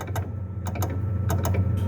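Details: 2005 Fiat Uno Fire driving over bumps: sharp irregular clacks from the rear near the exhaust muffler over road rumble; replacing bump stops and rear shock absorbers didn't help; a loose part was the cause.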